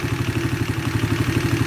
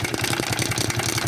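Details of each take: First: Shineray 50cc after the cam chain was replaced to cure an engine knock: small single-cylinder idle with an even, soft putter, about four beats a second, and no top-end rattle; normal quiet idle. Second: 50cc Shineray motorcycle with a knocking engine: fast, even metallic tapping over the revving engine, steady in rhythm; suspected worn cam chain, possibly connecting rod or bearing, before opening the engine.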